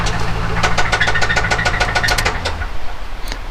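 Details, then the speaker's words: 2008 Saab 9-7X Aero, 6.0L LS2 V8, about 200,000 miles: rough idle with sharp, evenly spaced knocks over the rumble before settling; rod knock from a spun rod bearing. "yeah so that's what the uh that's what a radneck sounds like"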